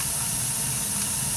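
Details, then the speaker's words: Burnham ES2 gas boiler running after spark ignition and proven flame: steady, even rushing hiss with no flutter, popping or surging; flame sensor reads 13–16 µA, burning cleanly and normally. "so there was a spark igniting and when the flame is proven the main gasp now will turn on and you have the boiler running"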